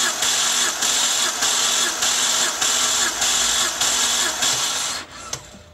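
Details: BMW N52 engine cranking during a compression test with spark plugs removed: the starter churns in even pulses, roughly two per second, then stops. Readings about 160–180 psi, with cylinder 6 the lowest; engine judged healthy after an oil separator fix.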